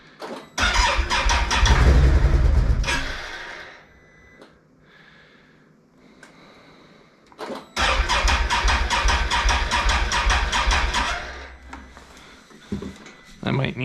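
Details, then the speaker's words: Brand-new 2021 Can-Am Outlander 850 XMR, first ride after dealer pickup, snowy day: starter spins the engine steadily about four times a second in long bursts but never catches; fuel tank was empty. "so i was actually surprised it was out of fuel because all we did was pick it up from the dealer and drove it from their showroom basically just up and down the parking lot one time"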